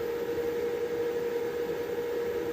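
A steady high whistle near five hundred hertz over faint hiss as the inverter powers up from battery, a fault whistle before precharge.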